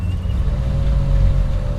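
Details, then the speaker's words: 1976 Chevy El Camino, 350 small-block V8, AC switched on at idle before the idle-up solenoid plunger holds: low rumble sags and labours, revs dipping unevenly; idle bogs under AC compressor load. "Hear it bog down. So we come out here and blip the throttle. That's how the plunger moves."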